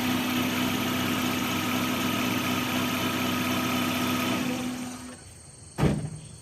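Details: Maruti Zen MPFI idling slightly uneven with a faint stumble under the steady hum before shutdown; misfire from oil filling the spark plug wells, worst in cylinder one, some in others, from a failed plug tube seal (packing).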